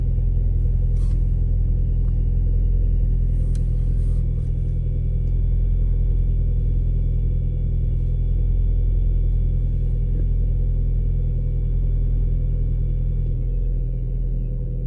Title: Audi 1.8t cold start misfire